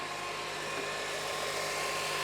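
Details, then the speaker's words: Honda Element running after new belts, belt tensioner and power steering pump/fluid work (also radiator, alternator, valve job): steady even hum, no squeal, chirp or rattle from belts; normal, smooth and healthy. "New belts running beautifully. Tensioner is running beautifully. Power steering fluid's running beautifully."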